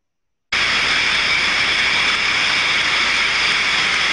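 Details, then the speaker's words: Ultrasonic contact inspection of a steam trap, probe on the steam side: steady unbroken hiss with no flow modulation or pauses, meaning the trap is failed open and passing live steam; continuous noise indicates a problem. "jeżeli słyszymy ciągły hałas też wiemy że mamy problem"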